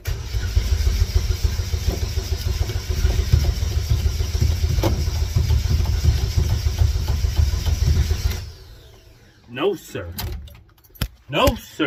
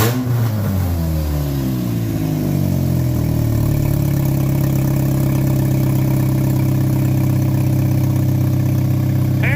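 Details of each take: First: Race car after fuel cell and pump install: starter cranks steadily about three turns a second for eight seconds, engine never fires; fuel pump found installed backwards, pumping the wrong way, terminals to be swapped. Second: Race car running again after floor, firewall and fuel cell work, with lubricant burning off the exhaust. Revs drop from a blip with a bleed-off sound, then settle into a smooth, even idle with no misfire or knock; the engine runs healthy.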